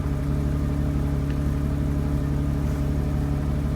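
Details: BMW 750 E32 with M70 V12 idling after new spark plugs, distributors and caps: deep uneven rumble that wavers and stumbles; rough idle, owner suspects running rich as plugs were wet and sooty.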